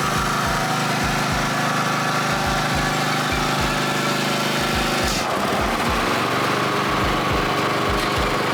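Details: Second-hand Snapper Pro SW30 52-inch mower with a Kawasaki 651V twin, after a full tune-up service: even, steady firing beat, settling briefly midway then carrying on smoothly; healthy running engine.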